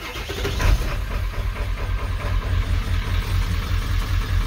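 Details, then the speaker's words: Mostly stock 7.3 diesel truck at 217,800 miles, relying on the glow plug relay, started after the wait-to-start light: fires right away into a loud, steady, even low clatter at idle; normal diesel start and idle. "runs good. It's kind of a dinosaur. It's freaking loud, obnoxious."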